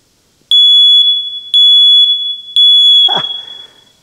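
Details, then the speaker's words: First Alert smoke detector after pushing a pulled-out contact back in, tested with flame; three loud piercing beeps about a second apart, then handling; alarm works, at least momentarily. "It worked momentarily, didn't it? Trying to make this old smoke detector work."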